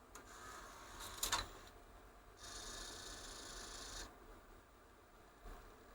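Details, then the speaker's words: Bose Wave Music System IV CD drive that would not play all CDs, after dismantling and cleaning the optical assembly. It now plays a previously unplayable disc: a short spin-up whir, soft clicks, then a quiet steady spin. Reading normally, though the fault may be temperature related. "it is now playing it well have we fixed it I don't know is the honest answer it seems to be a lot better it's playing a disc that it didn't play before"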